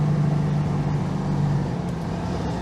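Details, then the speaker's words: Citroen 2CV replacement engine after passing its MOT: even, buzzy twin-cylinder drone holding a steady note and fading smoothly, no popping or stumbles; pulls very cleanly, so the owner thinks it must be jetted very well. "this engine really is a proper Beach it pulls very cleanly"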